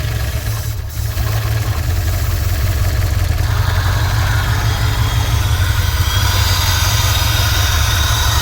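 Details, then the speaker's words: Turbo engine first run after head gasket replacement, warming up: steady low idle with airy exhaust rush blowing by the turbo and a ticking sound; loud wastegate, but running normally. "That's good. That means that it's exhausting the back pressure. Sounds like it's ticking. Wastegate's really loud."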